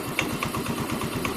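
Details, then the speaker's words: Yamaha Mio M3 125 scooter idling normally after fixing an idle that would stall or hunt, with compression checked at about 7 bar/120 psi; steady, even putter with a harsh, raspy edge from a loud, apparently local non-original muffler. "itu suara pembble ya suara pembelnya terlalu kasar itu pembelnya pembel lokal kayaknya bukannya ori makanya agak keras"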